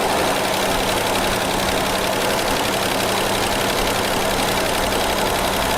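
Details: 1976 AMC Pacer with likely original engine, first start in 20 years: steady fast-ish idle with a hissy, uneven undertone, running rough; lifter noise fading, choke not opening fully, carburettor found loose.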